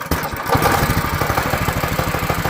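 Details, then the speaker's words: Go-kart with a Predator 212 engine after repair with a new spark plug and new pull starter cover: starts easily on the pull and drops into a quick, even single-cylinder putter with steady beats and no hunting. "See how easy that just cranked? Kid will be able to crank this no problem."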